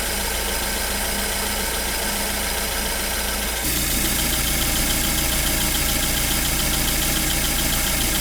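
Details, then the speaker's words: BMW 1 Series N43 engine idling after a DIY bottom-end rebuild for spun bearings and low oil pressure: fast light ticking about three per second over the idle is the fuel tank purge solenoid clicking, normal and no problem. "and this weird noise is actually the per solenoid for the fuel tank so this noise is definitely not a problem"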